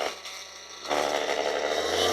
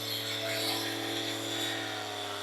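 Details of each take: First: Ryobi polisher after regreasing, running at 3800 RPM: the motor whir rises with a buzzy rattle layered over it from the battery pack vibrating in its mount; otherwise smoother and quieter than before the new grease. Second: Ryobi polisher after regreasing the gearbox, run up through 3000 to 7500 rpm: a high, even whine with no grinding or knocking, smooth with no vibration felt in the hand.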